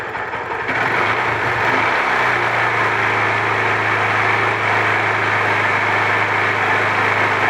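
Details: Honda Titan 150 single-cylinder after replacing the faulty cam chain tensioner (regulator) that no longer held tension; settles into a steady, even idle with no top-end tapping or chain rattle; normal idle.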